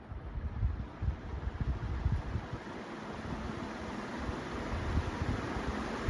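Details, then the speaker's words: Restored 36-inch Moss Caribbean Breeze metal-blade ceiling fan with new bearings spinning up; smooth rising whoosh of air, no rumble or grinding, quiet. Normal running. "And it's like a top. These things are quick and they move a ton of air for being such a small fan."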